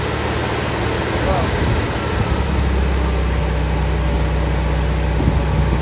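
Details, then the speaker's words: All-original 1959 VW Beetle, air-cooled, after carburetor diaphragm repair, running off a gas bottle: low steady even putter, no stumbling or hunting; normal idle. "we're gonna try to start the bug now that I had fixed the diaphragm on the carburetor"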